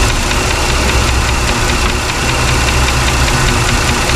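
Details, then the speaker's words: Chrysler 300 after PCM replacement, at idle: steady, fast, light ticking over the engine note. The owner hears a tick somewhere in the valve train, lifter uncertain, possibly oiling-related; not confirmed. "Lifter tick. Or not lifter, kind of, I don't know. Got a tick in the valve train somewhere."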